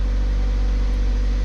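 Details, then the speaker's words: 2002 Hyundai Elantra after replacing a power steering pump whose bearing had a bad shimmy and was really loud. Engine running, wheels off the ground, steering turned left and right to cycle fluid. Smooth, quiet drone with no pump whine; pump now quiet. "oh it's already so much quieter [Music] what i'm doing is going left and right with the wheel just pumping the fluid through"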